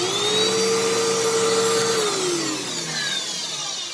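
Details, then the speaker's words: Fantom Fury 12 amp vacuum, made October 2000: loud, harsh whine with a rough, gritty edge dropping away at shutoff, giving off a burning smell; motor sounds badly worn, run cut short for fear of fire, cause unknown. "oh my god that smells bad yeah that actually has a burning smell to it so I'm actually worried if I run this for longer it may catch on fire so I'm not gonna do that"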